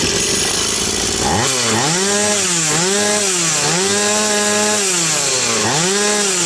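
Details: Stihl 180 chainsaw after piston and crankshaft seal replacement: fires up and revs cleanly, pitch dipping smoothly as it bites into wood and recovering between cuts; normal strong, even running under load.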